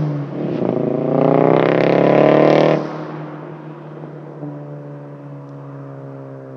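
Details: VW GTI 2.0T with Stage 2 Unitronic tune, Neuspeed cold air intake and 42 Draft Designs full turbo-back exhaust: uneven, lumpy exhaust note through a blip and back to idle with a stumbling beat; misfire from failed ignition coils on cylinders 2 and 4.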